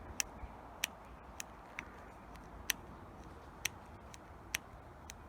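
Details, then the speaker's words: Barn-find 1984 Honda V65 Magna VF1100C, ignition on in a quiet room: sharp, irregular fuel pump ticks about one or two a second. The pump pulses only when disconnected rather than priming normally; cause unconfirmed. "we've got nothing but a fuel pump is pumping now"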